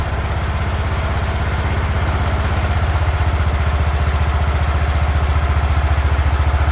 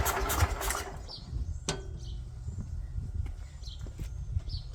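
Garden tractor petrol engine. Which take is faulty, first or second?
second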